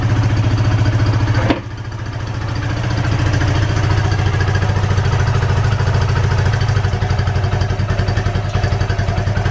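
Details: Suzuki GN125 cafe racer build, start after carburettor rebuild and cleaning all connectors, on a makeshift syringe fuel tank, in neutral: the single-cylinder catches, stumbles briefly, then settles into a steady, even thump; normal running.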